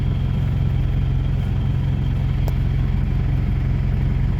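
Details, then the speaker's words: Isuzu TFR after the starter motor was repaired, refitted and the battery reconnected. Steady, even low throb at idle with a regular pulse and no knocks or misses: it starts easily and idles normally, so the repair succeeded. "หลังจากที่ซ่อมเสร็จแล้วก็สตาร์ทได้สตาร์ทง่ายก็ถือว่าเป็นอันสำเร็จครับ"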